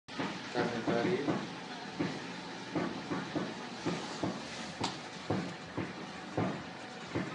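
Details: 2008 Mazda 6 GH: hollow, sharp clunks about every second as the steering wheel is turned back and forth, knocking on direction change and over small bumps, wheel sometimes turning by itself; steering rack suspected.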